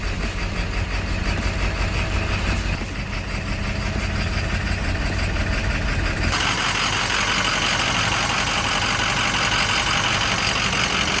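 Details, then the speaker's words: Ford 7.3 Powerstroke diesel at idle with a bad IPR (injection pressure regulator): idle surges back and forth with obvious loose clacking knock about three per second, accompanied by vibration, slight misfire and poor performance. "but this is a bad IPR and it does the same thing with the idle at idle it'll jump back and forth but listen to this it's real obvious you'll hear the clacking I know it's a 73 but hear how knocky it [Music] sounds"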